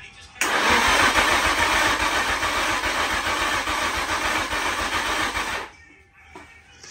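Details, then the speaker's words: Nissan Stagea NM35 after engine refit, cranked without trying to start to build oil pressure: steady cranking rhythm for about five seconds, three to four even pulses a second, no firing; normal cranking. "now we're just gonna crank it about three four five times a few seconds just to build on oil pressure so we're not trying to start the car right now um build that oil pressure make sure everything's properly lubricated lubricated"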